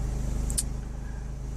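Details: 2006 Hummer H3 3.5L inline engine, about 120,000 miles, after cleaning the mass air flow sensor and throttle body: a low, even engine pulse with no stumble or hesitation and one brief click. Normal, smooth idle after the fix.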